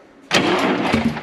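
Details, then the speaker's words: DT466 diesel in M36A2 2.5-ton truck, cranking on a replacement starter after hours of work, near-empty rusty fuel tank; starter turns steadily but never fires, suspected lost fuel prime. "oh did you hear that what's the fuel situation yeah the tank let me look back down in here it's probably lost its prime"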